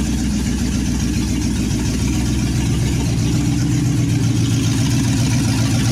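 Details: 1963 Chevy C10, 355ci small-block V8 (350 .030 over) with Turbo 350, idling on its second start after sitting many years: loud, steady, slightly lumpy open-exhaust idle, firing evenly without misses or knocks. Normal, healthy idle.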